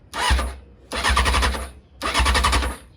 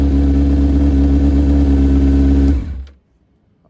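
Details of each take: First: 2001 Honda CBR600 F4i after fitting new gas cap and an ignition switch that proved the wrong one: three one-second bursts of fast cranking, spark present but no fuel pump priming, never catches; fixed by installing the correct switch. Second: 2001 Honda CBR600 F4i inline-four: runs strong with a steady crisp note, then cuts cleanly to silence; sounds healthy.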